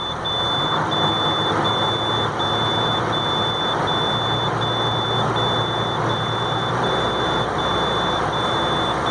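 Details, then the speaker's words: International 4300 DT466 crane truck cold start after weeks below zero: shrill steady low-air-pressure alarm beeping over rumbling diesel idle, not building air; owner suspects ice in lines or stuck governor, possibly thawing; low air pressure warning buzzer. "I started up today we will let it run a while see if it starts building their pressure I can hear the air pressure alarm well it's starting might be thawing out"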